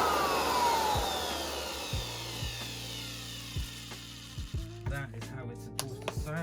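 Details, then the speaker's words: Vintage Hoover 1334 vacuum motor after strip-down, cleaning and bearing cleaning, bench test before reassembly: even hum spinning smoothly and winding down, no grinding, rattle or bearing squeal; normal motor run. "So let's hope that it doesn't sound like the vacuum from hell. Now that sounds so much better."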